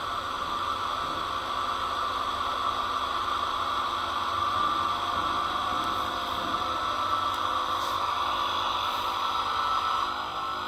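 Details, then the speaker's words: Wabco HPB hydraulic brake unit after repairing both pump motors; smooth, steady high motor whine at even pitch for about ten seconds, no knocks or dropouts, both pumps reaching 2,000 psi; pumps running normally. "You can hear both. You can hear the pumps running."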